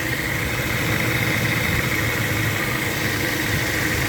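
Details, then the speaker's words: 2011 Dodge Avenger idling: rough uneven low rumble with a steady hiss, a weird front-end noise first thought to be a motor mount. "i got a 2011 dodge adventure today it came in with a weird noise check the end thought it was a motor mount at first"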